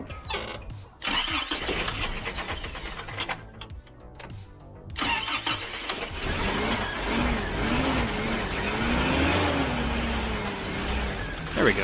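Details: Freshly rebuilt Toyota 22R-E with performance camshaft and new rocker arms, first start after the distributor is reset one tooth: engine catches, then runs lumpy with a stumbling, unsteady idle, one cylinder misfiring from a backed-out injector connector.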